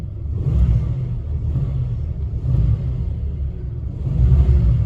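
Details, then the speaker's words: Plymouth Gran Fury with a new clone BBD carburetor, revved lightly under load: deep rumble swelling and sagging unevenly, engine stumbles and lunges with popping and a little backfire; carburetor suspected, possibly distributor. "it that popping i don't like that popping like that but that oh yeah a little backfire"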